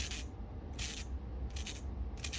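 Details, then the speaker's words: Gritty, scraping rub as the removed belt tensioner pulley from a 2010 Audi 2.0T is spun by hand; worn bearing, being replaced with a quiet new Gates 38018 pulley while keeping the original tensioner. "so I'm changing this because you can hear the bearing wear"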